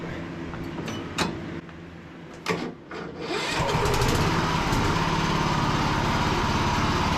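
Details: Cub Cadet lawn tractor after a charging-system repair: a few short cranking bursts, then it catches after about three seconds and settles into a steady, even run; normal start.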